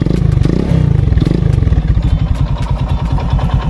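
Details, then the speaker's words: Honda XRM 110 motorcycle with a no-welding manual clutch conversion, idling with a loud, uneven low clatter and rapid knocking like a helicopter; engine noises began after the conversion, connecting rod suspected worn, owner returning it to stock. "masyado siyang maingay Para na siyang helicopter so yan maingay na yung ating motor oh mapapansin niyo Tama na yung kanyang connecting rod"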